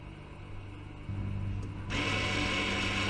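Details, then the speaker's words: 2013 Range Rover Evoque Dynamic during a rear disc and pad replacement, electronic parking brake released by the brake-pedal, throttle and ignition procedure: steady rear motor whir growing louder as the pistons wind back; normal retraction. "and i can hear the brakes winding back the piston there you go"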